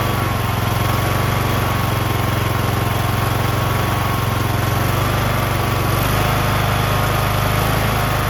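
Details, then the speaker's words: Briggs & Stratton 19.5 HP engine on John Deere LA110 lawn tractor, after rebuild, replacement carburetor and idle screw adjustment: smooth, steady drone with even beat, no misses or surging; normal idle, runs great. "I rebuilt this engine. Can you believe it? Runs great."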